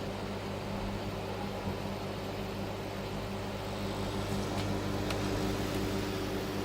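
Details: Roadside dumpster microwave found dead, opened up, dirt cleared and retested with a package inside: steady low mains hum with an even fan whir that never cuts out; it is running and heating normally.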